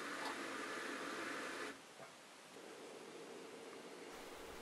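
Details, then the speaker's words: Bosch SHE4AP02UC/06 dishwasher with 500 ml of water in the sump: once about 250 ml is pumped out, the drain pump keeps running with a steady hissing, gurgling, air-sucking sound instead of shutting off. This repeats every time. "notice that as soon as the sump is empty the pump runs continuously"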